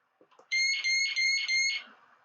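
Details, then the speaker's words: Meross GS828 carbon monoxide alarm (electrochemical sensor, rated over 85 dB) with its test button pressed: four long, loud, shrill beeps, then it stops. Normal self-test. "basically is a loud alarm which i will demonstrate for you by pressing the test button right that is the alarm"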